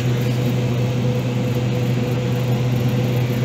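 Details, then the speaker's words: Old Master-Bilt freezer with intermittent faults (came on, didn't come on, fans on and off); small outdoor condensing unit behind the building; constant low hum and airy fan rush, no compressor labouring heard, possibly only the fan running. "like it's sounds like it might be running worst case scenario it's just a fan"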